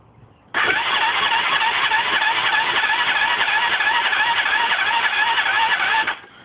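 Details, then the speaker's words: Hyosung scooter cranked with fuel pump off: fast, light, even cranking with almost no compression pulses, spinning far too easily; owner suspects a blown head gasket. "now um tip of advice for you everyone if a bike sounds that easy to turn over you've got a blown head gasket right"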